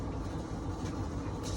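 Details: Whirlpool dryer, model YWED9620HCO, after replacing the belt, drum rollers and idler pulley to cure a squeal: steady, even low tumbling rumble with no squeal or scraping; drum turns smoothly.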